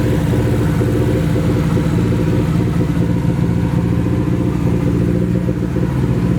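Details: Nissan 240 with a newly installed SR20, at its first start. It runs through an open downpipe on the original old gas. The exhaust note is loud and choppy, with uneven, stumbling pulses through the revs. Misfire; owner suspects bad gas, but the cause is unconfirmed.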